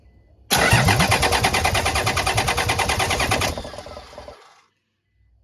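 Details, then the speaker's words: Toyota 75 series Land Cruiser 1HZ diesel, parked 12 years, freshly fitted engine never fired: starter cranks steadily about three turns a second for three seconds, no firing, fuel line off to build oil pressure first; oil pressure reached. "so let's crank it over and see what happens ah come on we have oil pressure"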